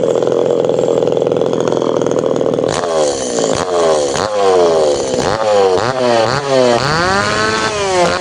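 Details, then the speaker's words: Tanaka PowerMate PMS340 two-stroke pruning saw, warm, after fuel delivery system repair and final tune-up; steady high idle then crisp blips climbing and dropping cleanly without stumbling; now correct, ready to hand back. "มันต้องแบบนี้ครับเสร็จแล้วส่งมอบได้"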